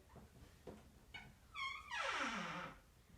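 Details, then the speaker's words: Bathroom door swinging on dry, unlubricated hinges before lubricant is applied: loud tonal squeal with falling pitch; squeaky door hinge. "hear that? Just annoying. We need to go ahead and lubricate those."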